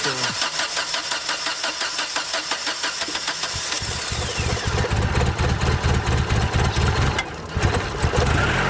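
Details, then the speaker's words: Chevrolet Lacetti hard to start cold in the morning: long rhythmic starter cranking before it catches into a rough idle. Fuel problem suspected, cause not confirmed. "ось такий ранковий запуск треба розбиратися в цьому справа"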